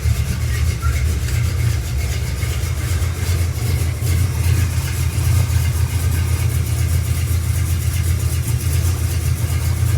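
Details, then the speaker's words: 1974 Camaro built 350 V8 with mild cam, roller rockers, headers, Flowmaster exhaust, first start in a long time, oil pressure about 50, warming up; deep, slightly loping, even idle with no knocks or ticks. "just make sure it's building all pressure it's just about 50. I'll let it sit here and warm up for a second since it's been a while since it ran"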